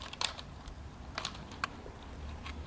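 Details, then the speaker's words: 2012 Chevy Camaro clock spring, wheel removed and spun by hand, gives sharp irregular popcorn-like pops and clicks. It was turned too far while the steering column was disconnected for a motor replacement and is believed to cause the airbag light: broken clock spring. "it sounds like popcorn is being made and that is not a sound you want coming from your clock spring"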